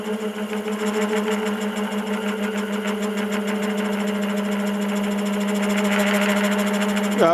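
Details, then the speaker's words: Woodturning lathe with spiraling/texturing cutter: steady hum turns rough and growly, pulsing about three times a second under heavy side pressure against the lathe axis. "it's got a lot of side pressure against the axis of the lathe and you can hear the lathe growling at me not real happy about it"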